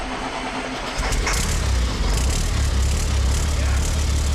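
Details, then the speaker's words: CAT-engine-powered Ford F350 diesel build, earlier running clip: engine catches after a second of cranking and settles into a steady, even low rumble with no knocks or misses. "We got it running way back, and there's a clip of it running right now, right here."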